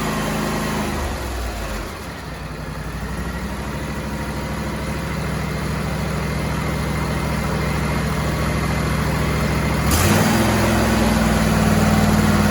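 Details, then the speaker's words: John Deere-Suzuki hybrid outboard after wiring work: steady low, smooth idle with a brief rev and quiet exhaust; runs healthy, much quieter than before; normal idle. "Torque torque torque torque torque. Nothing but torque. That sounds so much quieter."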